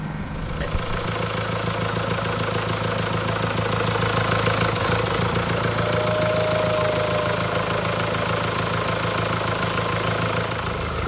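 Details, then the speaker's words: 2016 Mercedes E220d W213 OM654 diesel, first run after timing chain, oil pump chain and water pump replacement with the engine refitted: a steady, even idle clatter with a smooth hum. No leaks, no unusual noises, a healthy engine. "Everything seems fine. We checked underneath, no leaks, no unusual sounds."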